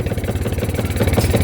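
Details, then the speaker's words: Kawasaki Barako 2 single-cylinder motorcycle, towed in after it stumbled and lost pull: it pops and misfires unevenly as the throttle is opened, with charging voltage rising to 16 V (owner suspects overcharging, stator/charger replaced last year). "Then yan ang yan ang unang narinig ko nung pabababa na kami ng ano ng >> palyado pa 'yan magasan mo siya uli."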